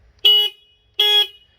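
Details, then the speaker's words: Triumph Street Triple stock single horn before replacement with Hella twin horns: two short, thin high-pitched beeps under a second apart; works but feeble, can't be heard while riding. "It's just beep beep, and you can't hear it when you're driving down the road."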